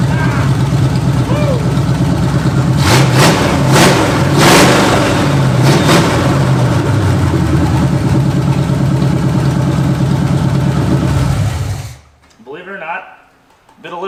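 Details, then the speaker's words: 1968/69 Pontiac GTO Judge barn find, odometer 187,000, with new plugs and wires: the V8 idles and blips with a light, regular tick on one side. A wiped cam lobe or noisy lifter is suspected, not confirmed. "tick on this side. Weird. Pontiacs are pretty well known for wiping cam loes. So, we probably have a wiped cam lo."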